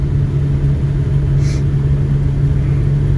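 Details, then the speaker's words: Buick estate car last registered in 2009, revived after about 13 years sitting, cruising on the road with the heater fan on high: an even, low, steady drone with no miss, knock or surge, so it runs nice and smooth. "heater so we're gonna put the high well normally it's like a blizzard of stuff that are unspeakable or that is unspeakable nice and smooth i probably should roll that window up"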